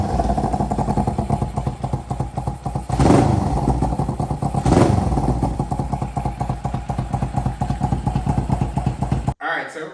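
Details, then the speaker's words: 2003 Kawasaki Ninja 500R twin swapped into a mini bike frame after retiming, on dual carbs, after a first carb tune: even steady idle, two quick blips falling cleanly back; idles and revs decent, needs more tuning. "I tuned the carbs a bit. We got it to idle and rev out decent. It needs a bit more, but I'll fire it up and rev it for you guys a bit."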